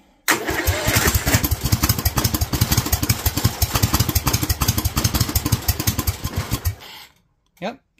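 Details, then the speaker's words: Kohler single-cylinder engine with Honda carburetor on methanol kit, second try: fires and runs with fast, uneven, slightly blubbery idle before cutting off; idle mixture too rich, getting too much fuel, idle screw to be turned up. "okay I think we're actually getting too much gas right now for the idle so we're going to crank this up just a little"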